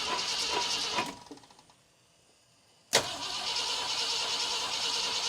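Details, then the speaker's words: 1966 Ford Galaxie 500 V8, first start attempt after sitting with a partly stuck engine; fuel pump seemingly not pumping well and carb leaking, so it only keeps a very shaky, ragged idle while fuel is continuously squirted in by hand. "If I continuously squirt fuel at it, it seems to want to at least kind of idle. Oh, it's coming back around. Very shaky."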